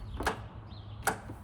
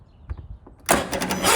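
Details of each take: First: Zero-turn mower out of winter storage, starting attempt: two sharp single clicks a second apart with no cranking, after being slow to start last season; owner suspects the starter solenoid, later replaced. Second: Zero-turn mower after replacing the bad starter solenoid, choke on, out of winter storage: brief crank, then the engine catches quickly and settles into a steady, even idle; starting normally.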